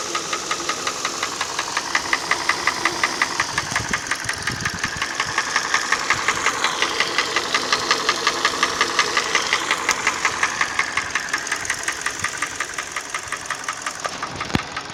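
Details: Hyundai ix35 petrol engine: sharp, even metallic ticking about three a second stands clearly above the engine; steady knock of unknown cause.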